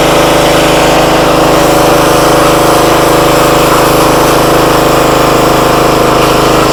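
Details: Free used pressure washer that reportedly only runs on choke, small single-cylinder engine started at full throttle on choke after bleeding pump air: steady even drone driving the pump, no misses or hunting; motor and pump seem fine.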